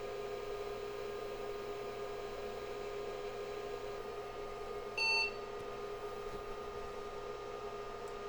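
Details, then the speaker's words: IBM 5150 PC powered on: fan hum then one short POST beep; only 301 keyboard and 601 floppy errors remain, other errors gone, floppy controller card not yet installed. "we just have a 301 and a 601 error the others went away that's good news"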